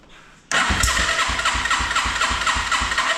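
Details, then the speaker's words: 1987 Yamaha TW200 no-start, contact cleaner sprayed into intake with choke on: starter churns with uneven lumpy pulses and weak catches but never runs; tried to fire, choke then removed. "Did you hear it try to fire there? Let's go ahead and take the choke off."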